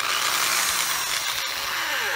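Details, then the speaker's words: Electric drill running on AC with triac-based trigger speed control: a hissing, high motor whine holds steady, then sweeps down in pitch as the trigger eases off; the speed control is working normally. "so as I showed you this is running on AC and it has a triac based speed control see see I can vary it by squeezing the trigger"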